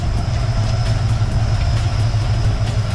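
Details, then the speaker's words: 1965 Mustang with a roller 302 V8 and rebuilt Holley 4010 carb, warmed up, idle mixture screws turned way down: steady, even low rumble with no misses or knocks; blue smoke gone, idling cleanly. "you can see all that blue smoke is gone [Music] and it's idling right now that I've got those idle mixers turned way down"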